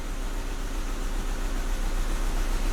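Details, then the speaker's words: VW Jetta idling with the check engine light on (not flashing): deep, uneven rumble with a stumble and shaking; cylinder 2 misfire of unknown cause, owner suspects the spark plug wires to the ignition coil. "you definitely hear that cylinder two misfire just like before so something is causing cylinder two to misfire"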